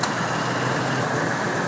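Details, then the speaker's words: 1997 Ford F-150 at idle, A/C being recharged through the low-side port from a can: steady idle with a continuous fan-like hiss and hum as the compressor and condenser kick in and pull refrigerant normally. "And you can hear your compressor and condenser start kicking in, pulling it in and charging it."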